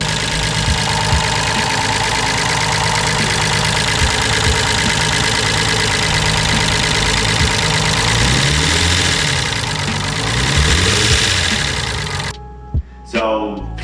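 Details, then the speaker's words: 500+ hp RB25 build at idle: loud, fast top-end ticking about four per second over a rough idle; owner concludes the original, never-upgraded lifters are the cause and is waiting on solid lifters; top-end ticking at idle. "of came to the conclusion that those are my lifters making that noise that is one of the only parts that I didn't upgrade from this top one / original of the motor"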